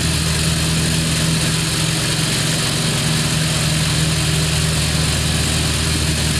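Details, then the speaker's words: Craftsman LT2000 lawn tractor, Briggs 17.5HP, test drive after cleanup and repair: even steady small-engine drone with faint hum above, no misses or knocks; engine running smoothly. "She's running real sweet."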